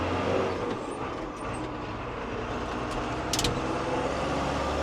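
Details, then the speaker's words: New Holland T7 225 Auto Command tractor, Cummins engine, 9,481 hours, after a worn original switch was sorted: steady even diesel drone, smooth low rumble, no knocks or misses; normal running. "Cummins noise. Yeah, that's perfect now."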